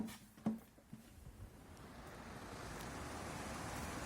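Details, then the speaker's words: SAIVOD DHX-20 propane dehumidifier after the rubbing fan was reseated with centred washers and a tightened nut: soft, even airflow hum with no scraping and no burning smell, so the fan is running normally. "Bueno, puesto el depósito, gira. Por aquí echa claramente aire. Bueno, lo vamos a probar así. Vemos que no huele a quemado ni nada."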